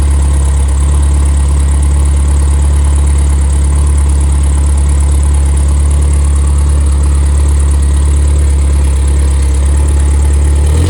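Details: Rebuilt Triumph Spitfire 1500 engine FP22382UE (270 cam, 9.5:1 compression, 195–205 psi compression): steady, deep, even idle with no knocks, misses or ticks; healthy engine.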